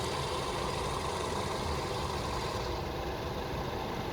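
Steady, even engine idle with no knocks, misses or stumbles; sounds like a healthy idle.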